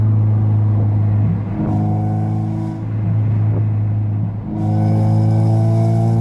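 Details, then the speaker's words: 1993–1997 Honda Del Sol with its old muffler, before a new one was installed: a heavy booming drone that swells through the gears, far too loud even at about 3,000 rpm, drowning out the radio. "t be this loud the muffler should not be this loud you guys"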